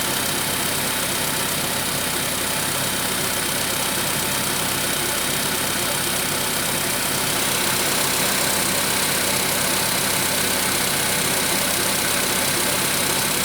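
Petrol engine idling with a fairly steady light tapping, roughly 160 a minute, over a bright busy top end; a knock, cause unknown.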